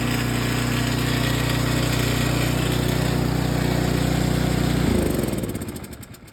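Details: John Deere 827E snowblower with Briggs & Stratton engine, pull-started with choke at middle and 5–6 primer pumps: fires and holds a steady, even idle for several seconds, then winds down cleanly at shutdown; runs healthy.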